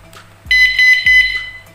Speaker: oke lumayan kencang sekali untuk sebuah alarm sepeda ya